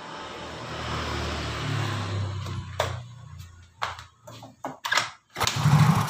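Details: Yamaha Soul GT fuel-injected scooter with good fuel pump pressure: crank bursts that never catch; injector ground signal lost, so the injector will not spray fuel and the engine won't start.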